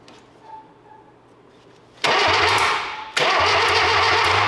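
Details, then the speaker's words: 1968 Datsun 520 freshly rebuilt engine, bumped with a remote starter trigger before first start while checking for spark: two bursts of steady, even cranking, no catching, binding or grinding; turns over freely and oil comes up the oil pressure line. "I've got a trigger hooked up. I just want to bump the key. Let's see what happens. Oh, she's cranking."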